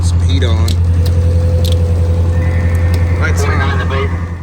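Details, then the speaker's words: 2004 IC CE200 school bus, T444E 7.3L diesel, cold start at about 24°F after an ice storm, block heater plugged in (usually needed to start when cold); deep steady rumble settling into an even high idle, no knocks or misses; normal cold start. "so this is a startup um cold start and it was plugged in this bus usually has to be plugged in when it's cold for it to start"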